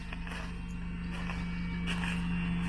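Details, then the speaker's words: Mercedes SLK R170 convertible roof hydraulic pump running after the side roof cylinders were replaced, roof cycle about 21 seconds; even, steady low hum with a few light clicks, no surging, whining or foaming; pump operating normally. "On entend le moteur hein, sans problème. Il n'y a pas de mousse hein."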